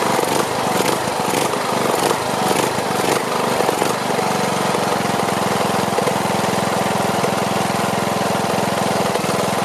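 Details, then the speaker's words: Briggs & Stratton Platinum 21 hp engine, previously repaired for camshaft problems, muffler burning off oil: rises and falls in pulses for a few seconds then settles to steady idle; surging, owner suspects carburetor needs cleaning, though it looked clean. "yeah that's just coming off the muffler and uh sounds like the carburetor is it's pulsing so it sounds like the carburetor needs to be cleaned"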